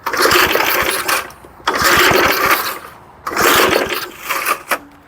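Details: 1975 Murphy's 20-inch push mower pulled from a shed after long sitting, given starting fluid: repeated pull-start bursts, coughing and sputtering briefly, then dying; owner suspects low compression from sitting.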